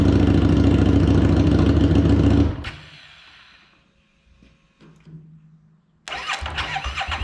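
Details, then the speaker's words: 2017 Harley-Davidson Street XG750 liquid-cooled, fuel-injected engine after shipping damage: a deep, even twin rumble cuts out, then fires straight back up and runs steadily, so the engine runs normally. "Did you hear that? It runs. Super excited, super happy."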